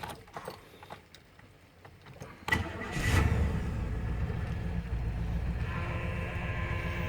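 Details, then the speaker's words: 1999 Chevrolet Suburban 1500 after spider injector replacement to cure misfire, engine cranked and idling: thin whine from power steering pump with no power steering fluid; idle otherwise okay, no misfire. "you're hearing is power steering pump there's no power steering fluid in there"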